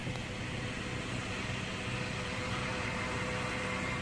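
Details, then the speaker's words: Automatic transmission in gear with engine idling after a barely moving drive, check engine light on: steady high whine as the transmission pump starves for fluid. "I'm in gear. That sucker is starving for fluid."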